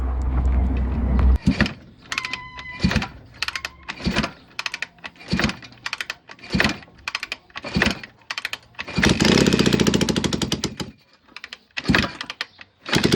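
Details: Barn-find Kawasaki Z400 twin, late 1970s or early 1980s, not run for decades, wiring bypassed with a direct battery connection, fuel, oil and spark on both plugs: several separate kicks with sputtering firing, then brief uneven running. The engine starts and runs.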